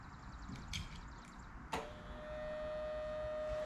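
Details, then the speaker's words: Sea-Doo bilge pump kit (2018 and up) bench-tested on a battery before installation; a click, then a steady, even electric motor hum without rattles or grinding: pump running normally. "yeah so it works good"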